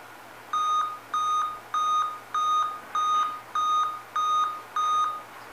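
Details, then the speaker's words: Dell Inspiron 14 laptop at power-on with a scrambled, distorted screen gives eight evenly spaced high beeps, a POST code for a display fault, usually the screen itself and sometimes its cable. "olha quantos bips são 8 bits pessoal vou desligar aqui seguinte esse problema pessoal eu já fiz um vídeo aqui no canal já tem um vídeo aqui no canal falando sobre esse defeito no delta 8 bips é quando o problema está relacionado à tela"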